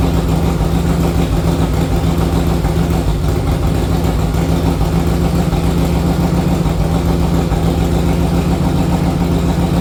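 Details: 1961 Harley-Davidson Panhead V-twin, warming up after a ride: uneven loping idle with irregular chugging beats and no steady rhythm, running rough from an intake manifold air leak.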